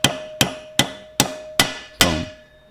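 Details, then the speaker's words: Honda XL185s engine bottom-end rebuild: six hammer blows installing a new crankcase bearing, the dull boom changing to a clear ringing ping once the bearing is fully seated. "listen for the pitch change that's dull boom you hit that ping"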